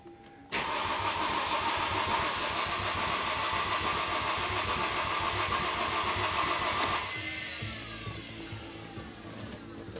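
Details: 2005 Mercedes SLK350, intermittent no-start: steady starter cranking about three and a half turns a second for several seconds, never fires; spark confirmed present.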